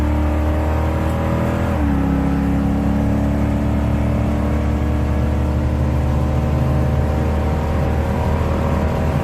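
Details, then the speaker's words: 1987 Chevy S10, 305 small-block V8, with cheap regular mufflers after a mechanical fuel pump replacement; a deep, steady rumble settles smoothly after revs drop with no stumble or tick, so it runs normally. "I mean, I know it's just a 305, but it's too quiet to be a S10 with a V8."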